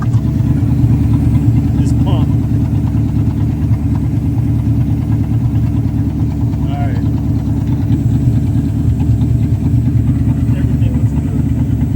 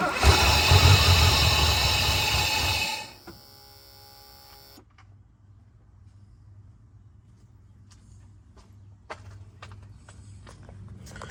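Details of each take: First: 1984 Mercedes 500SEC Euro-spec after removing blockage from clogged fuel intake filter, previously bogging and dying: low even idle holding steady, no stumbling, hunting or dying; fixed. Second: 1984 Mercedes 500SEC Euro-spec after fuel pump change, debris in line causing a clog: starter grinds about three seconds with no catch, then clicks; barely starts, fuel starvation.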